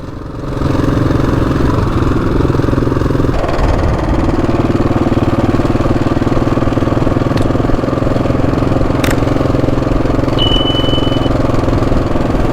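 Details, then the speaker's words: Husqvarna 701 riding: steady single-cylinder running with a fast, uneven metallic timing-chain clatter that persists after an oil and filter change; suspected timing chain tensioner. "The bike hasn't settled. It's still there's like a clattering still coming from the timing chain."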